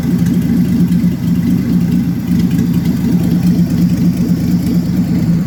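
Low, uneven idle whose beat wanders instead of holding steady, a plainly rough-running inline six with no clear cause heard.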